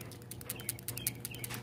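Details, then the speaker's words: Scion xD PCV valve, old 10-year-old part removed and shaken beside new replacement; light crisp ticking rattle, about eight clicks in under two seconds, check ball moves freely, so the valve is still good. "can you hear that that's a good uh pvc valve but since i got already got out and then this is a new one see you hear that same thing"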